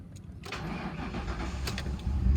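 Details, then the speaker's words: 2008 Ford Crown Victoria Police Interceptor, 120,000 miles, 4,300 hours, suspected bad fuel pump, running on gas poured into the intake: cranks, catches, unsteady idle, then stalls (AC compressor kicking in possibly contributed). "this one appears to have a bad fuel pump i poured some gas directly into the intake here and i was able to start it up and drive it out here"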